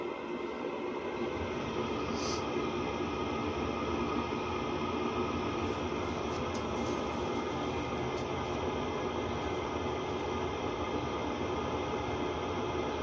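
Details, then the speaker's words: 8 kW (28,000 BTU) diesel air heater installed in a 1986 Fleetwood Prowler 23P trailer: a steady, even whooshing roar with a constant hiss and no surging; normal running, with the muffler off. "alright so that is as loud as it's really gonna be with with the furnace and the muffler and slider on"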